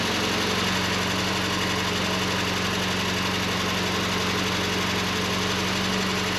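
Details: 1989 Volkswagen Cabriolet just started after sitting over 2 years, new engine wire harness fitted: steady, even idle, constant low hum, no misses or knocks; running smoothly with great oil pressure.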